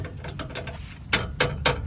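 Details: Dodge truck steering stabilizer, an aftermarket replacement only about a year and a half old, rocked by hand: sharp knocks roughly every quarter second from excess play at the worn rear mount; being replaced with a heavy-duty Bilstein.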